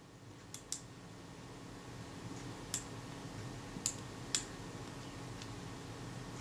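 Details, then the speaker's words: 85-year-old Kodak Retina II type 122 during repair: a few crisp, light clicks at an uneven pace as the ratchet tooth engages to drive the film advance; it works properly despite a damaged return spring. "well you can hear that ratchet tooth engaging quite nicely there as it drives the film advance films fall forward so that's good"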